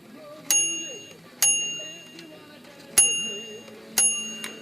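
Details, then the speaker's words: Royal manual typewriter bell after bending the clapper so it no longer rests touching the bell: four clear, bright dings ringing out and fading cleanly, no dull thud; repaired dull ring, bell now strikes freely. "i don't think that changed things too much going a little bit how's that sound that's a little better already"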